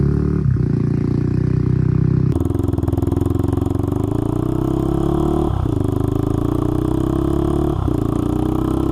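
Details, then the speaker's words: Honda 400EX single-cylinder ATV after crankshaft replacement for a locked-up engine, test ride under load through the gear changes; sharp puffing chatter each firing from a broken exhaust header leaking pretty badly; shifts smoothly, new header needed. "but like I said we do have to address this header issue at some point cuz it is leaking pretty bad"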